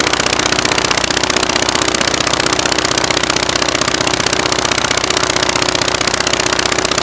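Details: Praga B2 aero engine, last ran 1939, rebuilt and test-rigged on a Vauxhall: crisp, regular fast firing with bright rattly edge; runs evenly, normal running.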